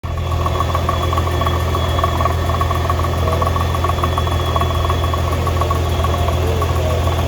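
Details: 2015 Nissan GTR R35 at idle, being considered for purchase: steady low idle with a fast, light metallic rattle riding over it and no clear knock; it clunks at times, felt from the seat; gearbox, clutch or exhaust suspected.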